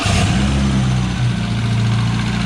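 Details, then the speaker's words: K-series engine-swapped MG Midget on first short drive, original exhaust fitted: steady even drone holding raised speed, idle too high; owner suspects ECU not reading coolant temperature properly, to check with diagnostics. "idle speed is still quite high the idle speed is still quite high and I think that's because it's not reading the coolant temperature properly"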